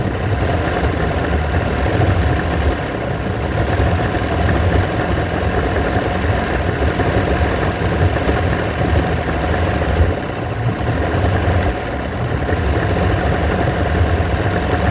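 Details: Evinrude V4 120 outboard with a rough, unstable idle: steady low drone that sags and roughens, then evens out, then falls again; hunting idle.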